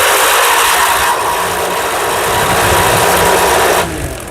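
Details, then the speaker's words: DIY electric skateboard spinning a home fan blade as its propeller: loud rushing air with a steady hum and a faint high whine from the tensioned drive belt under the heavy load. It was quiet with the previous propeller. "now can you hear that noise you know what it is it's the belt now the belt is not liking this propeller considering that belt is under tension"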